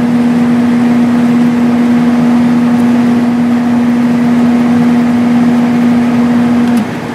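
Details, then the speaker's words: 1995 Sharp Comfort Touch 8,500 BTU window air conditioner started before cleaning; much quieter than the 10,500 unit, with a steady even hum, no rattles or grinding, and the compressor sounds healthy. "hear there's the compressor doesn't sound bad at all"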